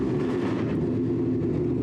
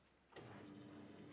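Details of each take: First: Car, cold start: steady, loud idle pulsing about four times a second, slightly uneven and lumpy, then cut off; rough cold idle, owner says the cold tune still needs work. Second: Project car with the key switched on and the engine off: after the key click, a faint steady hum holds for about a second as the fuel pump primes normally.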